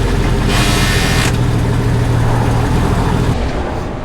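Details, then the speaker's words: Junkyard Jeep, brakes held: drives and shifts fine in 4-Low, but any other transfer case position gives a heavy, rough, uneven churning rumble like popping out of gear; owner suspects misadjusted transfer case linkages. "it drives and shifted fine I drove it up to a flat spot but as soon as you put in anything besides for low sounds like Judith does whenever it pops out of gear"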